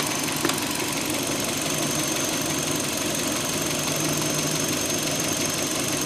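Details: 2005 Hyundai Elantra idling, just after owner tightened the timing belt: fast, light ticking knock running through a steady idle; noise existed before but was less prominent, cause not confirmed.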